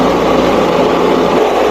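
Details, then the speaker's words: New 9 lb vibratory tumbler with rocks and water, after re-tightening screws that had come out and caused leaking: smooth steady hum with rocks churning evenly, no rattling or banging, much quieter, normal running. "see how loud this is. Much quieter. And it's spinning."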